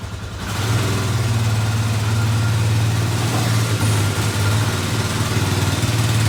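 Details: Polaris Ranger 500 4x4 first start after top-end rebuild, no coolant yet, burning oil off exhaust: steady low idle, even rhythm, no knocks or misses, no smoke; normal idle.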